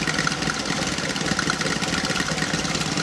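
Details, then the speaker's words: 1984 Chevy Citation salvage car, idling on its own with no external fuel after first start; a light whirring and ticking rides on the idle, which the owner thinks sounds like the smog pump. "that noise that you're hearing if you're wondering what that is that sounds to me like the uh smog pump yup but guys she's running on her own"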